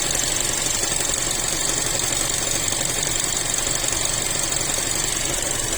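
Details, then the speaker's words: Chery Tiggo 7 Pro Max Elite AWD with a robotized gearbox, no error codes: a fast, fairly steady ticking knock about three per second over a hissy engine, intermittent; cause unknown. "Интересно, что может там стучать? Cherry Tiggo 7 Pro Max. Не только в басе. Ошибок никаких нет. Может, кто подскажет. То стучит, то не стучит."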